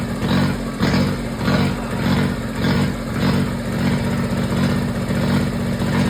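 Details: Kubota diesel generator started after repair, with the air box off and a block-off board fitted, fuel pump jumpered: it settles into a steady, even chug about a hundred beats a minute with no knocks or misses, running healthy.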